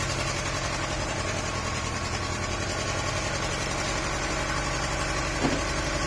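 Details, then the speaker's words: Honda CR-V second generation at idle: uneven lumpy idle with irregular stumble instead of smooth hum; misfire, ignition coil or spark plugs suspected, not confirmed. "เสียงมันจะเป็นอย่างนี้คือมันเหมือนเดิมไม่ครบสูตร"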